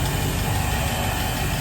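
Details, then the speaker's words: Volvo Penta 5.7L V8 after fuel pump assembly replacement with a Quantum fuel system, key cycled 10 times to prime before starting: deep, steady low idle rumble, no surging, knocks or hunting, no leaks; normal idle. "engine started like here [Applause] no leaks we're just gonna need to uh test run the uh engine later on"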